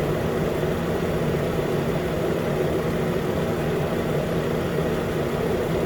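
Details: 2013 Nissan Pathfinder at 265k miles, idling after AC compressor clutch and serpentine belt replacement: steady even idle, smooth low hum, no squeal or chatter from belt or AC clutch; normal idle.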